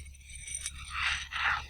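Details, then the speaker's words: Large driveway paver or tile, metal object rubbed across the surface: the second scrape sounds clearly lower and duller than the high-toned first, showing the tile's middle is debonded (hollow). "rub it over the surface and you can hear that difference in tone. That PA that's quite a high noise that's quite a low noise. So what that indicates is the middle of this tile or PA is actually debonded."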